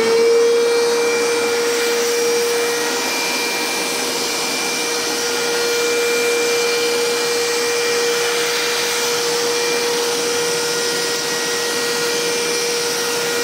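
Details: Karcher WD 3 vacuum cleaner, previously vibrating and droning after use without filter clogged it with debris, after repair: steady even mid-pitched motor hum with no droning or wobble; runs smoothly and powerfully.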